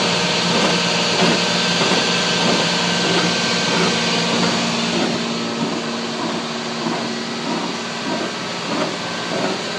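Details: 1996 Toyota 4Runner rear axle: a harsh, gritty, rhythmically pulsing grinding while driving. Rear diff fluid was changed and showed no excess metal or teeth; the owner suspects a wheel bearing, not confirmed. Rear axle grinding noise.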